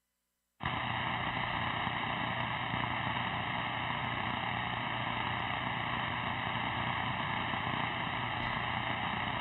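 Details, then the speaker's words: Steady fixed-tone buzz with even hiss from an unknown alarm or fault buzzer that suddenly appeared during a live transmission at a station running vintage tube-type CB radios on 27.085 MHz; operator may need to reset something. "Something's buzzing. Hold on, there's something buzzing. Hear that? What is that? That is something new to me. I may have to reset something here. I've got an alarm."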